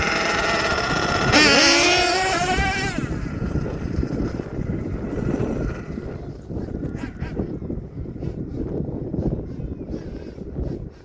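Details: HPI Savage XL twin nitro truck with Twinzilla kit: sharp rising whine on start-up, then buzzing run with uneven wavering revs as one engine pulls ahead; motor 2 out of sync, before linkage setting and tuning.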